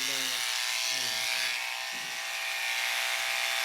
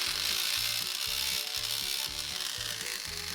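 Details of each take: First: Wahl Lister Stablemate livestock clipper after cam bearing and gear replacement, blade tension five turns back: steady high buzzing hum with no rattle or bogging, blade staying cool; running healthy. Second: Wahl Lister Stablemate livestock clipper, reported loud by its owner, before repair: harsh, rattling grind with fast uneven chatter about four a second over the motor hum; worn cam bearing and gear, to be replaced.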